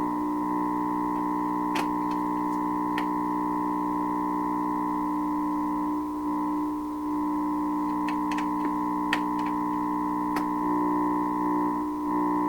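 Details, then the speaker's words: 1928 RCA Victor Model 28V radio on its first pass of trimmer alignment, signal generator input at full volume: loud, steady whistling and whooping with faint clicks. Operating improperly, badly out of alignment. "But there's whopping noise going through here too. I mean, this is not what this is supposed to sound like, right? This is not operating properly."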